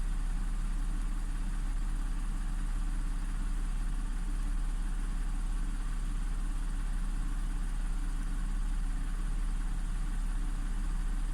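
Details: Audi S4 3.0T supercharged V6 after driveway bank 2 timing chain repair (P0016/P0018), no fault codes, both banks' cam adjustment now matching, not yet at temperature. Steady even low hum, no rattle or tick; normal idle.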